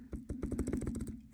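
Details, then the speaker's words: York furnace blower motor, shaft rocked by hand: about a dozen loose clunks in just over a second. It should be tight and spin freely; the front bearing is worn out and the motor is being replaced. "It is rattling there. That should be tight. That should be a nice free spinning, and it is not. That front bearing is gone."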